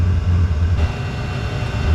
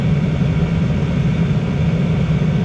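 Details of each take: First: Diesel heater with exhaust full of sharp bends, routed into ventilation: deep rumble surging and fading unevenly over a couple of seconds; unstable combustion, viewers suspect the exhaust routing, so it is being removed to test. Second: Diesel air heater running with its exhaust pipe removed entirely: steady, even low roar with no surging or popping, combustion stabilized; it began acting up again once the pipe was refitted.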